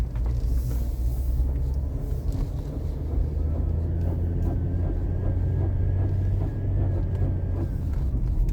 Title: Bad engine noise 2